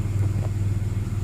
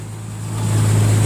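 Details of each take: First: Nissan Xterra with P0132 code and misfire, owner suspects bad injectors; after erasing codes and check engine light going off, idle changed and now settles to a low, even, smooth idle with no stumbling: normal idle. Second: Nissan Xterra with code P0132 and misfire, idling after the fuel injectors were reinstalled, new ones still awaited: low droning V6 idle that swells without smoothing out as cylinder number three drops out from a bad injector; engine visibly shaking.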